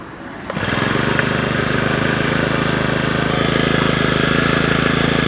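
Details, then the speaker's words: Honda brush cutter, engine no. GCT1941226, test run after repair for a loose engine (cylinder rebored, new piston, rings, fuel lines, carburetor, tank cap, throttle handle): starts easily, steady even buzz with no misfire, knock or hunting; healthy. "พร้อมใช้นะครับพร้อมรับประกันนะครับสตาร์ทติดง่ายนะครับ"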